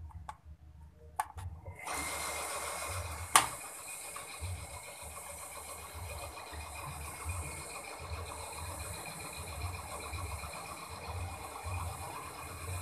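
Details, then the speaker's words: Sanyo PWH 135 water pump after replacing worn bearings and seal: quiet, even motor hum with a soft regular pulse, no rough grinding; seal not leaking, suction strong, running smoothly. "So the seal also does not leak Then the engine sound is also smoother"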